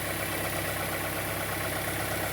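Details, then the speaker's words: 2004 Fiat Fire 1.0 gasoline engine, warm idle, mic close to engine: steady fast light ticking, constant at idle, stops when revved. Mechanic suspects the timing belt is off its mark; not confirmed. "é você viu que o barulho tá aí tá tá constante aí né pod ouvir aí o barulho Tá constante hora que acelera el para o barulho"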